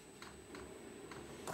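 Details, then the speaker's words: VEVOR kit diesel parking heater (Cinebasto), long unsuitable fuel line to the unit: after a failed start and shutdown, it retries ignition; faint, evenly spaced fuel pump ticks about every third of a second, then a sharp burst; priming suspected needed, later error 10. "Ah no ricomincia fa forse un'altra prova di avvio no sta tra virgolette raffreddando e vediamo un po' che cazzo fa"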